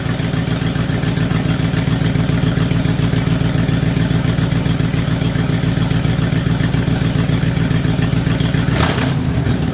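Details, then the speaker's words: 1975 International 200 3/4-ton 4x4 pickup, cold start at about 35°F: loud, raw, blatting idle with a sharp puffing edge on every beat; virtually no exhaust left, falling away from the manifold. "what you could hear when we started it up the truck has a virtually no exhaust left on it uh what is there is falling away from the manifold so the exhaust is completely unusable"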